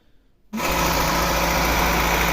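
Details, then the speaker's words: VAZ 2109 with 1.3 petrol carbureted engine, after fixing hunting idle and jerking on overrun (neighbor suggested checking plugs): fires up and settles straight into a smooth, steady idle with no hunting; normal. "ну от в принципі все машина робить не плаває нічого"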